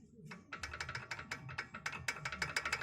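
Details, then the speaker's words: Chevrolet Vectra B, right rear wheel: quick uneven metallic clicks about three a second whenever the brake is applied, noticed after the rear axle bushing was replaced. The mechanic had fitted the caliper anti-rattle spring completely outside the brake caliper. "toda vez que a chamava o pé no freio da roda traseira lado direito fazer um barulho estranho tipo uns estralos né"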